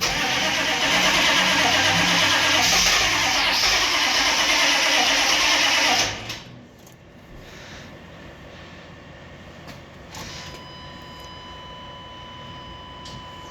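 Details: 1995 Chevy 3500 1-ton dump truck with the 6.5 L diesel, cold: steady cranking for about six seconds before it catches and settles into a rough, clattery, smoky idle; a slow, hard cold start.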